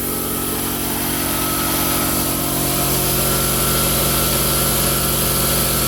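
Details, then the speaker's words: Quincy 5hp two-stage air compressor, newly installed on anchors, first run: steady, even pump beat of about four strokes a second with constant motor hum; runs smooth and healthy. "this is about you know a little over 10 feet that's what it sounds like"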